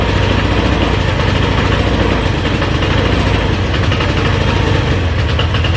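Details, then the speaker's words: GY6 Chinese scooter engine, damaged by too much oil, on a new test spark plug: strained drone held at full throttle, no crisp rev, near stalling; dies immediately when released. Badly low compression, top-end rebuild needed. "and that's me letting off immediately dies this thing has low compression really bad"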